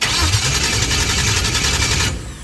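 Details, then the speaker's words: LS engine swap with new FuelTech FT600 and ready-made LS550 harness, cranked by jumping the starter signal wire, not yet firing: fast, even starter whirr for about two seconds, then stops; oil reached the rocker arms, cranking healthy. "So the engine It's already turning I already did it Turn a little"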